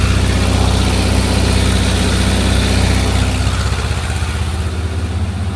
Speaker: Alright, so I'm hearing a knocking sound in this 1.7 liter Volkswagen motor.